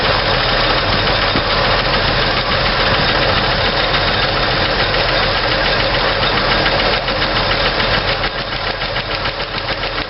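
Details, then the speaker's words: 1964 Chevy II engine idling with valve covers off during running valve adjustment on hydraulic lifters: steady fast ticking, three or four clacks a second, from a loosened rocker until tightened; valve lash clatter. "and we just do the next one the same way loosen it up clack clack clack clack clack tighten it down quiet"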